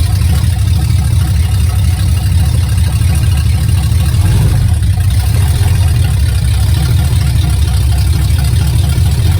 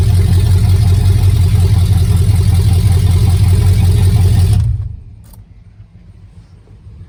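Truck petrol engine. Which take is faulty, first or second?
first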